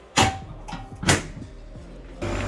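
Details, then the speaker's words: Three-phase commercial HVAC compressor starting after replacing a wrongly fitted 100 A fuse with three new 200 A fuses: a few clunks, then a steady hum as it runs and pumps; pressures low (70/220), needs refrigerant charge. "you hear that compressor's running compressor's pumping"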